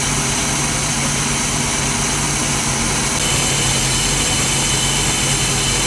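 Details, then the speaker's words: 1988 Crestliner Chevy 305 V8 with OMC King Cobra drive and electronic ignition, restarted after warm-up running despite blow-by on a couple of cylinders; loud, steady, even running with no misses or knocks, starts well. "okay that's a pretty good motor right there I'm impressed at start it's top uh the guy said he had electronic ignition I believe him now holy cow that started well"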